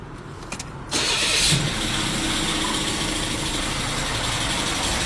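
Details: Car engine with a loud abnormal noise audible from a distance: right after starting, a loud steady harsh roar with heavy hiss over the idle; source unclear, suspected bearing, turbo or compressor.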